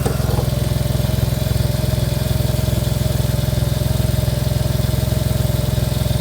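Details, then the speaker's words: Smart ForTwo 450 with rebuilt engine, gear-change problem just solved, at idle: steady idle with a faint constant whir seemingly from the alternator belt and alternator area. "there's a bit of a whirring noise from what sounds like the alternator belt and the alternator area."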